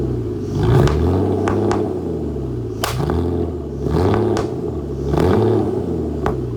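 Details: Flood-damaged Aston Martin DB9 V12 on start-up, with lots of smoke. A lumpy, uneven idle with irregular pops, thumps and farts breaking through a low rumble. Misfiring on one or more cylinders.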